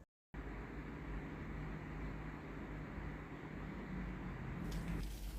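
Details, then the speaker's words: Philips GC9315 steam generator iron after repair of no-steam fault (electrovalve coil open, hardened rubber seal replaced): steam button pressed after 2-3 minute heat-up gives steady rushing hiss without sputtering, with a clicking valve sound; steam output normal. "ลองกดปุ่มจ่ายไอน้ำดูนะครับผมมีไอน้ำออกนะครับเาน้ำทำงานปกตินะครับได้ยินเสียงนังแต๊กๆนะครับผม"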